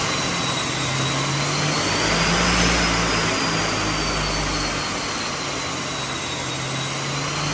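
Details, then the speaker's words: Stock-engine Mazda B8 180 (claimed 180HP) on a Dynocom dyno with retarder, boost meter fitted, checking fuel ratio and horsepower at cruising and under boost; engine still quiet, steady even roar under load on rollers, no knocks or rattles: normal under load. "Okay, kita start. Enjin dia pun senyap lagi. Enjin dia pun masih lagi senyap."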